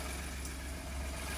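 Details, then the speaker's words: 2015 Ford F150 turbo engine first start after exhaust manifold, turbo and turbo cooling line install, engine cover off, passenger side; steady even idle, no knocks or hiss, doesn't sound too bad, a little smoky, no leaks. "All the ducting Don't sound too bad. A little smoky."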